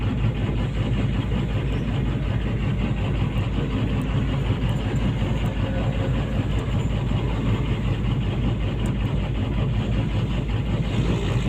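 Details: PC200-8 with a crank/no-start complaint blamed on a defective common-rail pressure sensor (no rail pressure); here a deep, steady diesel idle with an even low throb, no misses or knocks, running cleanly.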